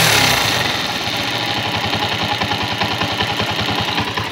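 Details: Motorcycle single-cylinder engine after valve clearance (rocker) adjustment using paper as a gauge: steady idle at about three and a half beats a second, even and settled, no valve-train tapping.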